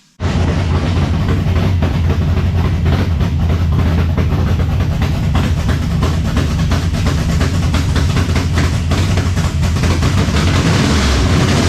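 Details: 1970 Chevelle V8 with Holley Sniper 2 fuel injection, alternator not hooked up, not yet at operating temperature: loud, deep idle with an uneven, lumpy beat; rough idle, suspected IAC settings, cap, rotor or valve adjustment, unconfirmed.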